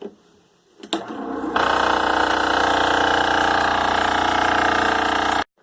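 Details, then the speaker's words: Ridgid oscillating spindle sander bought broken: motor spins to a harsh, rattling roar after one oscillation, spindle sticks at top with nasty vibration, no stroke; drive assembly fault suspected, unconfirmed. "all right here's a demonstration I should get one oscillation and then it'll stick at the top and you'll hear some nasty vibration"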